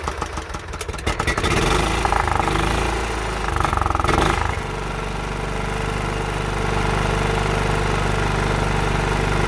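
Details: John Deere 16 HP (140 psi compression) after the carburetor was refitted, air filter off, using spray: uneven sputtering while cranking, then it catches and settles into a steady, even idle.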